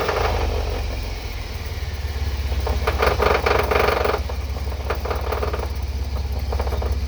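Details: Truck with a shaved GM 14-bolt rear axle, after a transfer case rebuild and driveshaft rebalance, driven in gear on and off the throttle: a rough, irregular grinding clatter over the engine drone. The owner believes it is the differential, unconfirmed.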